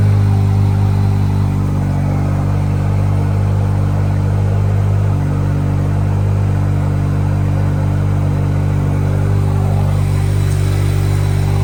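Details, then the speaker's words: Chevy Silverado 2.7L TurboMax with S&B intake, downpipe and straight-pipe exhaust under the truck: loud deep steady exhaust drone at even idle, no misses or knocks, intake barely audible; healthy engine, normal idle. "Again, you can hear mostly exhaust. Like, you can't really hear a lot of the intake. You hear more of the exhaust noises coming from the truck, but that's just because I have that straight pipe exhaust system that's underneath the truck."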